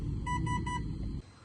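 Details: Three quick high beeps over humming motor from a new Avian 80 A 3-8S ESC on 4S battery, resting 15.6 V sagging to 13.5 V at 7666 rpm, 54.75 A; owner suspects low-voltage warning.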